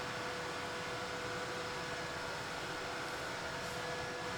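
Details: Bluetti AC200 Max power station, noisy as soon as switched on: constant loud fan rush with faint steady whine never easing; cooling fans stuck at full speed from faulty temperature sensor.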